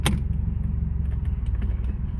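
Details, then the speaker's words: Cheap GC8 Subaru Impreza 2.5RS, first drive after sitting in snow: heavy low engine rumble under load with a faint scraping undertone as it pulls away. Brakes were stuck on and rotors loud. "damn this thing is sticky oh the brakes were kind of stuck on there oh there the the rotors are loud brakes are crap but makes sense because it's been sitting in the snow"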